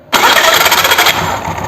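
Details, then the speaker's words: Hero Honda scooter, clutch cover off, self-starter engaged: a harsh, gritty grind lasting about a second. The crankshaft wobbles (ovality) instead of spinning straight, so the starter wheel rubs against the bendix. Noise occurs only on self-start. "இந்த ஓவல்ட்டியால் தான் வந்து நம்ம self போடும்போது அந்த wheel வந்து பெண்டாக்ஸில் உராயுது. அப்போ என்ன ஆகுதுன்னா நமக்கு சவுண்ட் வருது."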